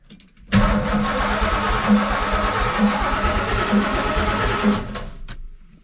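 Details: Ford F150 with a 347 stroker V8 on its first start attempt: about five seconds of steady cranking at roughly 2.5 pulses a second, never firing.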